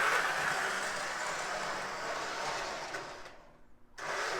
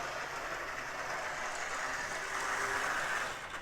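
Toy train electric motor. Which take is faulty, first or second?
second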